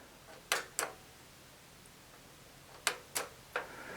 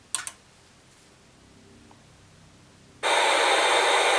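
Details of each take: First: Atari 5200 with its switch box connected, showing no picture and no power LED. Crisp paired clicks sound as the power switch is pressed. The switch box relay is clicking normally, so the switch itself works. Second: Atari 5200 with switch box and test cartridge, powered on after clearing a wire short under the RF shielding: silence, then a sudden loud, steady, toneless hiss. Static from the damaged audio circuit.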